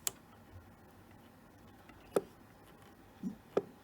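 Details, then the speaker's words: Mid-1970s JCPenney Pinto 23-channel SSB CB on a 12 V supply, volume full, squelch turned: only a few faint isolated speaker pops with no signal or receiver hiss behind them. The set is not receiving and does not transmit. "you can hear a little pop on the speaker but no reception on this so i'm not quite sure"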